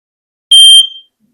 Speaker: Sometimes you just push it in, sometimes you hold it, but you hear it make that loud noise. So, that one's good to go.